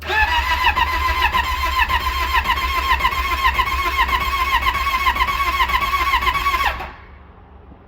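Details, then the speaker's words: Yamaha Apex four-stroke snowmobile, about 20,017 km, oil full, on booster pack: fires at once and runs with an even, busy beat for several seconds before shutting off; normal start and run, confirmed runner. "sounds like a Ford right well at least we verified that that one does run"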